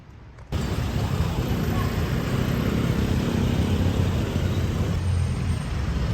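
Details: Suzuki Jimny JB43 rough idle at low rpm: low lumpy idle with uneven thumps, no steady rhythm; valve cover gasket and spark plugs replaced; cause not pinned down.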